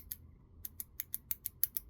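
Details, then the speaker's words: Katerk 1/4" bit holder carabiner: quick, sharp dry clicks as the threaded gate nut is screwed shut. The nut and gate threads don't match and skip. "You hear that clicking? This thing skips threads. Like it's just the threads from the nut and the threads that are on the carabiner itself. It's almost like they don't add up."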